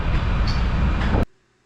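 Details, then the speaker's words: VFD-driven motor on a weekend call-out: heavy low hum for about a second with no speed run-up, feedback failure, no VFD overload trip; electrician suspects the motor is binding, to test by uncoupling. "I could hear the motor getting its little whine on the go when it tries to start, but she don't move."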